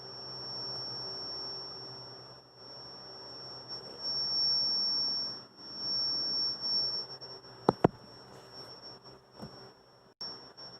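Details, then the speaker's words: Sony noise-cancelling headphones after battery disconnected with a toothpick to reset: powers on with a steady piercing high whistle at one pitch over faint hiss; covering it stops the whistle; cause unknown. "It powers on, but then it has a really high pitch to it. Let me see if I can reproduce that."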